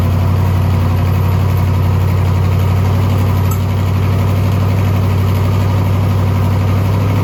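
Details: Twin-turbo SBC 350 V8 rat rod, freshly built, first start, oil pressure held: loud rough idle with fast uneven tapping under the rumble; internal knock, owner suspects a valve hitting or a welded header piece dropped in.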